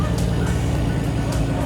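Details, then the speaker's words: Nissan 350Z V6 idling after replacing ignition coil to fix a misfire: steady, even low rumble with no skips or stumbles; misfire gone, idling normally. "pero hasta el momento se escucha bien, ya no se escucha con ninguna falla."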